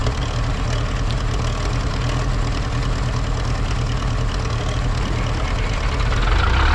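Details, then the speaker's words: Zetor 7045 diesel tractor cold start at minus 10 °C after weeks unused, cold start button pressed, flat battery boosted from an MF35; fires immediately and settles into a steady, even low clatter at idle, no misses or knocks; normal cold idle. "där startar den med en gång. Inga problem alls. Den behövde bara lite ström."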